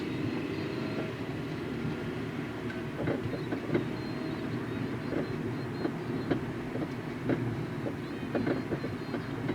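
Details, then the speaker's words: 2011 Hyundai Elantra driving over uneven bumps: sharp irregular front-end clacks and rattles over road rumble, also heard rocking car side to side, not when both wheels hit together; worn front sway bar end link. "Now, to me, this sounds like a sway bar end link noise, because if you rock the car side to side, you can hear it. And it only happens on bumps that are uneven, so if both front wheels hit the bump at the same time, it won't make the noise."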